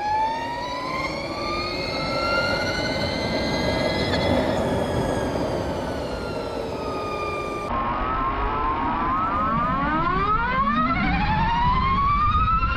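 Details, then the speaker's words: Electric motorcycle with a fixed straight-cut gear reduction after the motor: several clean whine tones climb and fall together with road speed over the quiet motor. Normal gear reduction whine. "algumas motos elétricas possui Uma redução fixa para o motor elétrico com engrenagens de dentes retos Então como o motor elétrico é muito silencioso o som das engrenagens fica muito evidente"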